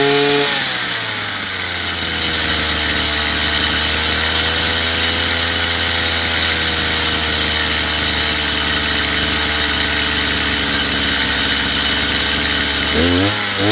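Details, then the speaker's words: Chinese brush cutter at full throttle, with the carburetor screw set to about 9,000 rpm: a steady high buzz holding an even pitch without surging or sagging, then dropping off cleanly. Normal high-speed running. "Выставлять около 9.000 оборотов, закручивая или откручивая данный винт."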